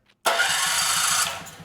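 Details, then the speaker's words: Powermate 5000 W generator, engine 185432-0606-E1, Briggs 715808 starter, after fixing too-tight ring gear clearance: crisp, steady crank about a second, releasing cleanly with no grinding or binding; Bendix extends and retracts, fixed. "Bendix comes out and goes back in. So, I am going to call that fixed."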